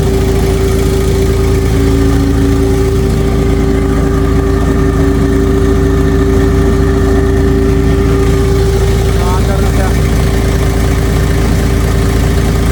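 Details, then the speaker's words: Auxiliary diesel engine that would not start despite new solenoid and fuel pump, running after fixing lost supply wires to the start circuit and bypassing a relay, held at slightly raised rpm: steady even drone, no misses; runs normally. "Umandar na mga par. Basic lang yung nagiging trouble shooting natin."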